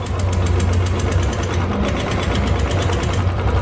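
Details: 2012 Royal Enfield Electra at idle: quick, even ticking about five or six times a second over a steady single-cylinder idle. Valvetrain tappet tick.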